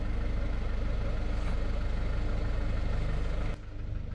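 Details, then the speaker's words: Citroën van diesel idling, noise disappears when lightly revved then returns: steady idle with a regular light tap about three or four times a second over the clatter; stop-start also not working; top-end ticking, source unconfirmed. "if you wait the engine noise will start coming back and it's that that you're listening for it's back again"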